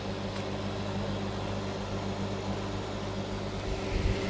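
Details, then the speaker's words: Microwave oven after arcing fix, probably dirt inside the cover; steady low transformer hum under faint traffic noise, no crackle or snapping, heating normally with no more arcing. "No more arcing. Seems to be working fine now. Maybe it was just a little bit of dirt inside of the cover."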